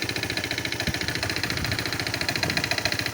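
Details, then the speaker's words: 200cc carbureted engine with cleaned carburetor, idle deliberately set very low, runs slow with uneven chuffs about three or four a second; carb-cleaner spray finds air drawn in through a crack at the intake manifold. Rough low idle from intake manifold air leak. "нарошну зробив малі холості Щоби вона ледве вигрибала щоби було чути зміну роботи"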